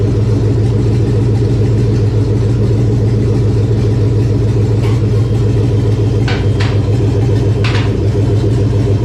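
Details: 1999 Chevy 5.3 V8 4WD junk donor pickup, unknown-condition engine's start test: even, deep rumble holding steady idle, no knocks or misses; engine runs healthy.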